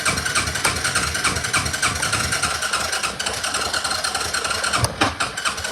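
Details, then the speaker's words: ATV, cold start with fuel back on, no choke, throttle held: fires unevenly at first, revs build with a rough popping beat, then settle into a cold run; slow to warm up. "Forgot, you gotta do no choke and you give it throttle. And then you let it work. Real cold-natured 4-wheeler."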